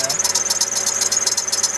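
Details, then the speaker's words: GMC Envoy idling with a rapid high-pitched chirping squeak, about eight a second, from the belt drive; belt tensioner pulley suspected and being replaced to stop it. "Oh, okay. Got a little squeak, as you can hear."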